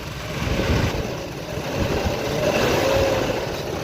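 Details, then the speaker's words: BMW E36 petrol engine revving after Liqui Moly hydraulic lifter additive and a 30-minute idle: an uneven rattly buzz appears as revs rise but not at idle. First suspected the VANOS; the rattle turned out to be the alternator. "Well, the noise is not actually there but when I rev the car it is there."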